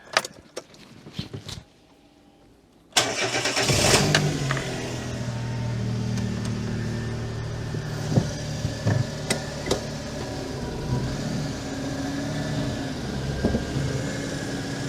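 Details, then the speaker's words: 2006 Daihatsu Charade (Cuore/Mira) L251 after engine swap, battery kept on charger: starter cranks briefly, engine catches and flares, then settles to a steady even idle with no knocks; healthy cold start. "okay there you're all right you're clear yep keep coming oh that sounds healthy"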